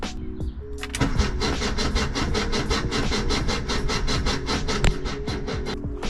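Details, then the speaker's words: 1978 VW Type II Bus, sat 20+ years, rebuilt engine just reinstalled, new starter: steady cranking, about four even compression pulls per second, no firing, oil light still red; cranking without fuel to build oil pressure. "But this thing really hasn't been turned over like that. So, it might just take a minute to build pressure."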